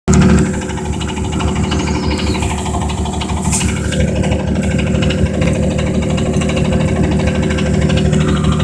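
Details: 1982 Camaro 2.8 V6 with rod knock: deep steady pulsing knock at idle, then revved far past redline.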